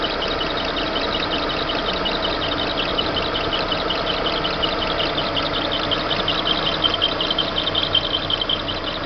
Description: Barulho irritante vindo d correia do motor do monza.